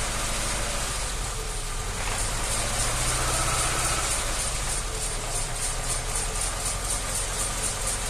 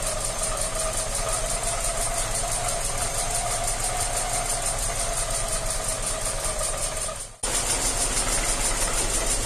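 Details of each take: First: ZAZ Tavria, front wheels jacked up, simulating driving on the spot in gears one to four: steady running with no gearbox whine, which appears only in fifth gear at 80–83 dB. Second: Tavria manual gearbox, front jacked up, wheels turning about 45 km/h: no noise in gears one to four, but a steady mid-pitched whine appears only in fifth gear, measured about 80–83 dB; before gearbox oil additive treatment.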